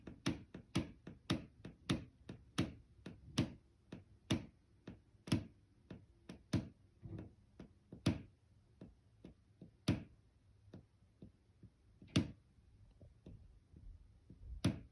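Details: Inside a ground-floor apartment bedroom wall below an upstairs unit, going on for two years: sharp ticks and pops, fast at first, then slowing to isolated knocks; foam-sealing the pipes did not stop it, cause unknown.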